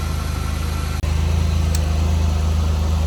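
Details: 2004 Buick LeSabre after repair, which previously chugged and struggled on hills: a smooth, even idle hum with throttle blips, no knocks, misses or rattles; healthy.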